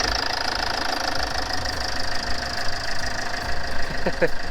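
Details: Land Rover Freelander 2 (LR2) diesel after PCV valve replacement: even, low diesel clatter at steady idle with no misses, hunting or odd knocks; normal idle.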